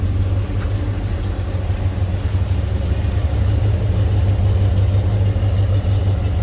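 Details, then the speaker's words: 1972 Pontiac Ventura Nova tribute, 350 V8, TH350 automatic, exhaust cutouts closed, heard from the back: starts easily, deep even burble at idle, no misses or knocks; normal idle. "see it starts easily I'm gonna slip around to the back so you can hear this run quick too"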